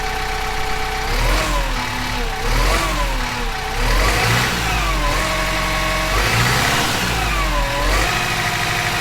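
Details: Kubota M15GX engine running after a full engine rebuild, fresh John Deere 30-weight break-in oil; even diesel clatter swelling smoothly as revs rise and fall, no knocks or misses; oil looks clean with no glitter; normal running.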